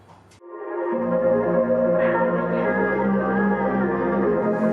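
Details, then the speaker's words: JBL JRX200 speaker bought secondhand, playing music: dull, boomy, very bass-heavy sound with the top end missing; blown tweeter, only the woofer playing. "it sounds okay it's very bass heavy but there's not much on the top end of the audio spectrum"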